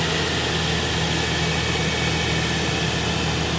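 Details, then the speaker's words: 2012 Nissan NV2500 heavy-duty van, 4.0 engine, hood open, fresh used battery; was low on coolant, blown head gasket feared but not found: even, steady low idle hum under hiss, no knocks or misses; idles smoothly, purring. "So there's Mr. 4.0 motor running, purring like a kitten."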